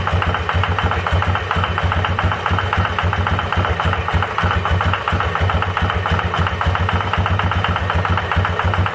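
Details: 2005 Yamaha Wolverine 350 4x4, carburetor rebuilt, throttle cable replaced, valves in spec: single-cylinder idle with a steady knock about four a second matching engine speed; owner's stethoscope points to the bottom end, suspected rod knock, unconfirmed.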